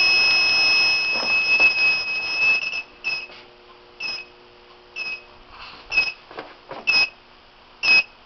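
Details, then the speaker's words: FloodStop whole-house water main shutoff system, remote sensor wetted with water: after a steady tone, shrill beeps about once a second as the alarm trips and the shutoff valve closes. "when it trips it will it will uh rapidly and I'll try to capture the uh the valve actually closing there you can hear you can hear that it's"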